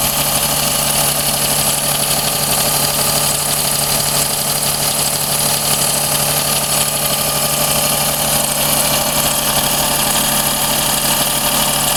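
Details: Daihatsu Cuore L7 EJ-DE, 135,000 km, fresh oil (0W-40), filter and plugs: light metallic ticking over idle, rises with rpm, not from cylinder head; quieter as engine warms but never fully disappears, cause unconfirmed.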